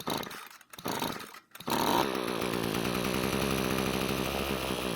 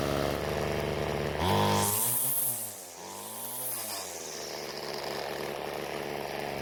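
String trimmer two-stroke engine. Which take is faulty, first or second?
first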